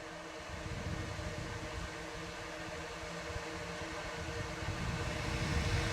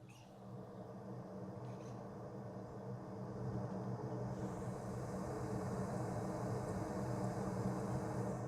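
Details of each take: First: Radon fan system baseline, mic next to the exhaust discharge before adding a noise suppressor: steady airy rush with low droning hum and faint tones; the noise comes from the fan's exhaust outlet. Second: Radon fan exhaust heard from near the roof edge with a noise suppressor fitted in a mock-up: soft steady low hum that swells slightly then settles; far quieter than without the suppressor, barely audible.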